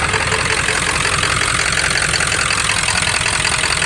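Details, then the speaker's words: OBS Powerstroke diesel, straight-piped and untuned, after lift pump replacement: loud, uneven, lumpy clatter at idle, a rough idle that lopes badly at first start after sitting; probably needs injectors. No smoke. "honestly this truck's probably gonna need a set of injectors at some point it's got a rough idle not the end of the world"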